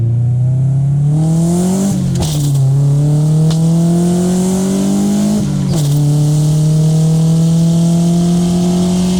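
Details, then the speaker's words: 1995 Honda Civic EJ coupe with a cheap eBay muffler, once raspy around 4,000 rpm, now lined with fiberglass insulation, on a quick pull: a deep, smooth exhaust note rising through two gear changes with no raspy buzz; the rasp is gone. "it sounds pretty good. I didn't hear any rasp during that quick pull."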